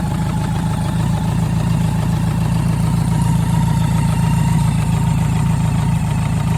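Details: BMW K100RS motorcycle engine idling with a steady low rumble and a faint repeating knock.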